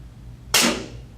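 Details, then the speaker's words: Pneumatic directional control valve in a training circuit, solenoid coil energized (red indicator lit); one sharp click as the internal spool shifts, then a short hiss of exhausting air fading within a second, normal operation. "Now the other side, because I can hear the solenoid, I can actually hear the spool move. That noise, that's a spool inside that directional valve shifting."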